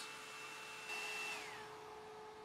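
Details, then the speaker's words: Tripp-Lite APS1012SW 1000 W sine-wave inverter, 12 V DC to 120 V AC, at higher load (about 35 A): steady electrical hum and fan rush under a higher whine; the cooling fan draws about 1 A, normal operation. "when you go to the higher load you can hear the fan on the inverter running and so that's burning up about 1 amp or 13 lots of power at low loads you don't need the fan"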